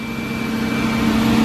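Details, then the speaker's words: Volkswagen Jetta on a true cold start after sitting 2 days, oil topped up with Castrol. A steady, even idle with a constant hum and a faint high whine, no knocks or misses; it sounds healthy. "The true cold start. It hasn't been started for 2 days now."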